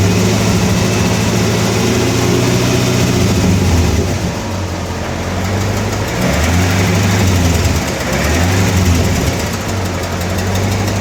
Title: 1996 lt4 ticking noise pt. 2